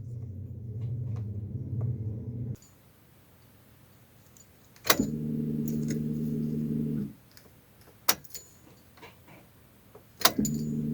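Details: Car with the ignition key turned to the ON position: a low electric hum for about two seconds after each key turn, then it stops; the fuel pump priming normally, not a fault.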